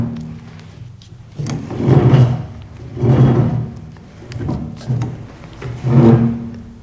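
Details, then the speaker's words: 964 Turbo replica kit car on 1970s VW Beetle chassis (1500cc air-cooled engine), steering column being secured: slow groaning creak with each wheel turn as column binds inside; owner suspects inner shaft slightly bent. Column bolts too short. "yeah it really shouldn't be making that noise it's binding on the inside still uh a little better compared to way back when this car was still assembled with the tub on top but it's still horrible"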